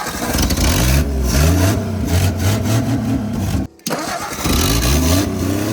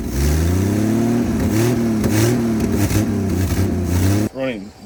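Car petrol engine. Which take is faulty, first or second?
second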